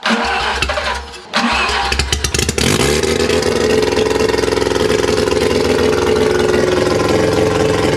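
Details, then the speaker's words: Mazda 12A rotary on engine stand, first fire, accelerator pump working: rough crank catches, fast revving run with sharp ticking, then stops; owner suspects flooding but plugs dry, thinks it wants more fuel. "Well, she ran. I wonder why she stopped. Let's try deflooding it. Maybe it's just dumping fuel."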